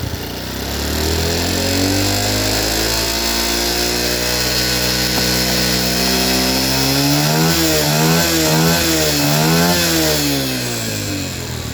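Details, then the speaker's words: Yamaha Jupiter Burhan fitted with Honda Grand carburetor in place of original, idle air screw set to 3.5 turns: engine picks up cleanly through quick throttle blips, pitch rising and falling smoothly, no stumble or misfire; normal revving. "Oke, kita coba kita pasang ya teman-teman. Ini kita gas."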